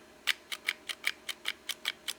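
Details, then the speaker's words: Gritty, sharp trigger clicks on a new Smith & Wesson M&P 9mm with the factory trigger, from the trigger return spring coils rubbing on something; the Shield 9mm trigger shows similar grittiness; owner plans to replace the trigger. "you can just hear that what that noise is is the trigger return spring the coils of it rubbing on something um you can hear the difference you get into your shield and it does have that grittiness"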